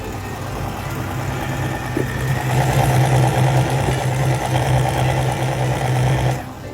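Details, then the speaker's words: 2024 Chevrolet Silverado 10-speed automatic, customer complaint of transmission hum: low steady hum under the engine with higher drone swelling under load, traced on teardown to a worn stator gear and pump. "And the customer complains that he hears a humming sound coming from the transmission."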